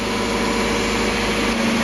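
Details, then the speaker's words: Mazda MX5 just after an oil flush and refill with Mobil1 0W40 fully synthetic, replacing 10W40 semi-synthetic, to cure ticking hydraulic lifters: steady, even idle with a smooth low hum and no ticking; owner unsure whether it already sounds smoother. "I don't know if it's my imagination, but it already sounds smoother. Probably is just my imagination though."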